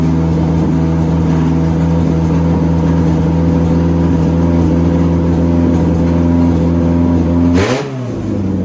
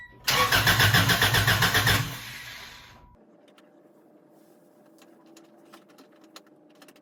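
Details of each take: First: Honda DC2 Integra after fuel line fix, fuel pump primed, header not yet installed; engine fires on first crank and settles into steady, even idle with smooth low drone, no misses or knocks; normal idle. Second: Honda DC2 Integra after fuel line repair with a new fuel filter, header off. First attempt to run fuel to the engine: about two seconds of even cranking with no catch. Owner says it is not getting fuel. Crank, no start.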